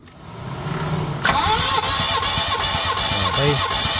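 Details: Mitsubishi Lancer GLi 4G15, overhauled but still misfiring; compression test on cylinder 2, plugs out: even, steady cranking pulses about three per second, every stroke alike; reads 145, healthy.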